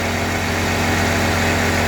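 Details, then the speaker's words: Loud rushing roar with low throbbing vibration from the electric radiator fan area of an FC truck, noise reaching the cab; owner suspects one of five fans, likely a failed fan bearing, as fans keep spinning after shutdown. "เสียงมันดังแล้วตะพือมากเลยเสียงมันดังเข้าเก๋งเลย"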